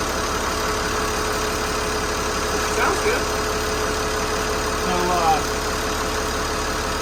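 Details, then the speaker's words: Boat diesel engine after injector and repair work, at start-up: uneven, lumpy knocking that skips, banging and shaking as before. Suspected causes are a failing injector pump, poor fuel delivery or the injectors. Rough running misfire. "Banging and shaking and jiggling, kind of like what it was doing before. Almost like it was missing and skipping."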